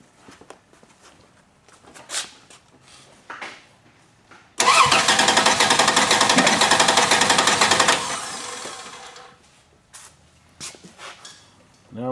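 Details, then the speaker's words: Six-cylinder engine cranking during a compression test with one spark plug removed; a lopsided beat shows one cylinder dropping out each turn, indicating low compression in that cylinder. "to stop it and play it back now if you look right here by comparison you see that we've got a drop out in compression"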